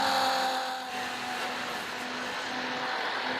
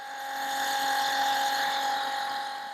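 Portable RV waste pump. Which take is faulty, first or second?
second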